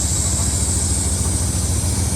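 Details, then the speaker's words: 1994 Ram 1500, bought new: low idle with slightly uneven, lumpy pulse and a little thump that rises with RPM; running rough, suspected vacuum leak or possibly distributor cap, not engine knock. "Little rough sounding. Ain't going to lie. Sounded a little funky at first, but sounds like it's got a vacuum leak."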